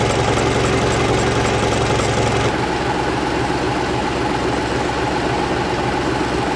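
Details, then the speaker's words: 1965 Gardner 6LXB 180 six-cylinder marine diesel, test run after restoration following failure at 80 hours, about six hours' running, warm with oil pressure set: ticks over evenly with a steady low throb, no knocks or misses; healthy idle. "Okay, so that's us done with the test run. It's now run for about 6 hours."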